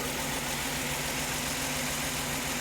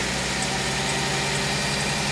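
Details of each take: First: Mercedes-Benz C240 C-Class after replacing the fuel injectors (fuel filter and pump replaced earlier), a few seconds after restart once the emptied fuel rail has refilled: even, steady idle hum with no misses or stumbles; normal idle, smoothing out. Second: Mercedes-Benz C240 C-Class just after replacing the fuel injectors (fuel filter and pump replaced earlier), restarted with the fuel rail empty: steady idle with a faint uneven stumble as the rail refills; slightly rough idle.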